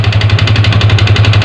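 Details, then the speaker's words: Yamaha Vixion motorcycle engine running rough like a diesel: heavy, even knocking at idle, about ten beats a second over a deep drone; worn piston suspected, and it ran smooth again after boring the cylinder oversize and fitting a new piston. "Kita dengerin suara mesinnya lah ini dia mesin diesel ya"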